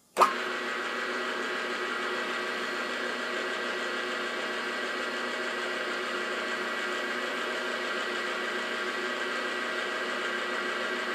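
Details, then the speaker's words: New Grizzly G0755 mill/drill spindle, bearings run in the night before for about an hour and a half up to top speed, run with dial indicator on the taper: steady even high-pitched hum, no knocks, rattles or surging; normal, healthy spindle. "we're going to run it again for you just so you've got an indication because this was running really good"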